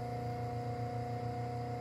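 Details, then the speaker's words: Homemade cabbing machine on an 8-inch Rikon low-speed bench grinder at 1750 rpm: low, even hum with a steady tone, no knocks or rubbing and almost zero vibration; grinder runs smooth and quiet, wheels spinning nearly true. "do you hear that there's hardly anything to hear this motor is great if you look at that water"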